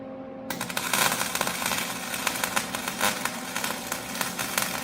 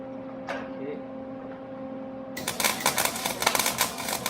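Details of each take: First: MIG welding onto a bolt after turning the heat down one notch and the wire speed down from too fast to about 2.5. An even crackle with brief pops, no heavy spatter or stalling: a correct weld sound. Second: MIG welder with the wire speed turned up way too fast while welding onto a sheared bolt. After a quiet hum come harsh, irregular tack-tack popping and crackling instead of a smooth sizzle, the sign of excessive wire feed.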